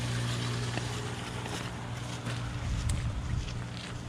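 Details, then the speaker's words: Pool sand filter pump (new valve, recycled-glass filter media) running on filter after repair: steady low motor hum with water trickling, bubbles and suction present, no rattles or surging; normal running. "And we got bubbles. All right, we got suction here. We got suction here."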